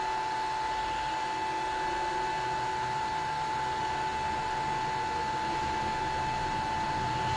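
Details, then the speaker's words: Gramercy Place Garage CO-testing exhaust fan: switched back to auto after reset, sensors not communicating, it ramps to 100% speed, which is correct with no sensor signal; steady rushing airflow, constant mid-pitched whine, no surging. "i'm going to turn this back to auto and it's ramping up stop stop stop it's not stopping it's going up to 100 speed"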